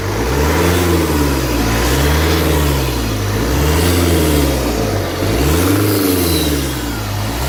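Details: Opel 1.9 CDTI engine revved repeatedly: whooshing rush rising with each throttle blip as boost air escapes from the intake when accelerating; intake air leak.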